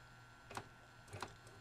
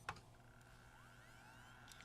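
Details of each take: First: Magnavox MDR865H/F7 DVD/HDD recorder at power-on: two soft clunks about two-thirds of a second apart, the DVD drive looking for a disc, normal; no hard-drive head seeking heard, owner suspects bad drive. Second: Magnavox MDR865H DVD/HDD recorder that won't play from the hard disk: faint rising whine as the drive spins up to a steady hum, but no head-seek clicks follow; suspected bad hard drive.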